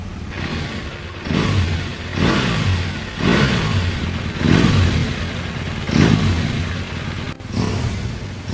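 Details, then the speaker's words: BMW R1200GS boxer engine, 10 years and 85,000 km, cold start after full engine and gearbox rebuild (input shaft bearing replaced). Oil circuit checked good and accessories refitted. Crisp revs in repeated blips with even return, no knocking: normal cold start. "Now just put the accessories back on. Listen to the sound of the start-up."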